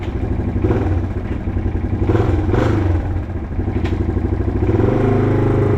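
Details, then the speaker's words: 1987 Yamaha TW200 single cylinder on test ride after no-start repair: loud, uneven chug with a sharp puffing edge on the beat; runs well but exhaust annoying, sounds like a header leak. "The exhaust is a little bit annoying, so I don't really want to ride around the neighborhood too much. Need to get that taken care of right there because it it is annoying, but it runs great."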